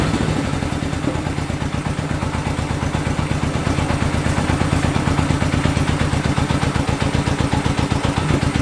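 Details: 1965 Honda CB77 Super Hawk 305 twin, sat 20 years, running on the lift without air filters after only a carb clean and fresh fuel; the points were not cleaned. Steady, even idle with a quick regular beat, no knocks or misses. Normal idle.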